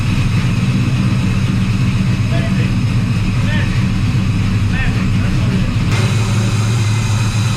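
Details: Squarebody Chevy C10 V8 with new Holley Terminator X EFI, first run: deep steady rumble with lumpy rowdy-cam beat, even idle, no misses, knocks or ticks; healthy.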